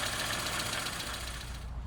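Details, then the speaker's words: Mini road racer with a 998 A-series engine at idle, sounding rough: an uneven, lumpy beat that stumbles now and then. The owner reports it is not running 100% smoothly. "And I'm not sure if you can hear that, but it's uh it's not it's not the smoothest running of engines."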